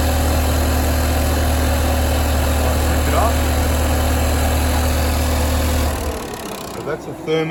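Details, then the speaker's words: Ford XR6 Turbo at idle: steady hum with a faint whirring that keeps spinning after shutdown; suspected noisy bearing, possibly the fan's electric motor, but it is then heard to be the turbo still spinning, not confirmed. "he got a noisy bearing let's have a listen"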